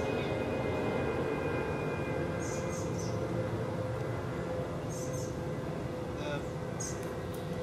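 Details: MEP-006A military 60 kW diesel generator set, first run after sitting 3+ years, fluids checked, oil pressure up: steady even diesel drone with constant low beat, no misses or knocks; normal diesel running.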